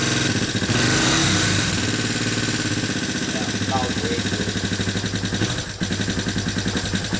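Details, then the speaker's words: Yamaha TTR225 after stator replacement and valve adjustment, cold start on choke: fast light ticking three or four per second over lumpy single-cylinder idle; valves set too loose. "Yeah, you hear the valve? Yeah. Yeah, you made it too loose, though."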